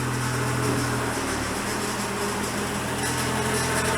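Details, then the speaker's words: 1987 Ford Sierra RS Cosworth with a known power steering leak, pump running low on fluid: engine running with a steady low humming whine from the pump; power steering pump whine. "Oh man, this power steering pump does not have, you can hear it's not good. I know it's running a little bit dry."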